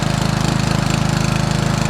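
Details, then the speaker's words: Homemade small single outboard at full throttle on its sea trial, doing 8 km/h (about 4–4.5 knots), which is near the boat's hull speed. It gives fast, even firing pulses with no misses or knocks, pulling hard and running healthy. It sounds happier throttled down. "I think I went faster this way just before, or not. This is full throttle, 8 kilometers per hour,"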